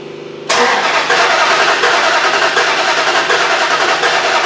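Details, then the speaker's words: 2004 Dodge Ram 5.7 Hemi, runs rough and won't idle, during starter cranking for relative compression test: uneven cranking with one compression beat noticeably lighter each turn; low compression cylinder. "now we're certain that we have a cylinder that's low we can tell this by cranking it you know and listening to it with just our ears"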